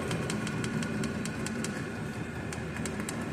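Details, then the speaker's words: Diesel heater in a shop, settled after startup: even fan whir with a soft low rumble, no surging; running normally. "If you run it on the lowest setting, now it's leveled out. It's already started up. It's leveled out."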